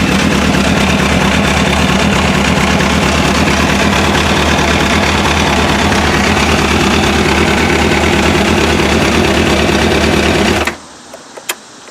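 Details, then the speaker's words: MV Agusta F4 after fuel pump repair with an AEM 320E LPH fuel pump replacing the OEM pump: steady, even idle of about four firing pulses a second, no misses or knocks, for ten seconds before shutdown; runs healthy. "So she's running, guys. Really happy with that."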